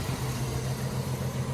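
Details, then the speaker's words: Jeep YJ engine, not a fully cold start, still warming up: low, slightly uneven, sputtery idle with occasional stumbles and a couple of backfires. The owner suspects vacuum leaks, and it usually smooths out as the engine warms. Rough idle. "Still having a little bit of problem with some vacuum leaks. As you can hear here, it's a little bit sputtery, but it always seems to work out as the engine warms up still."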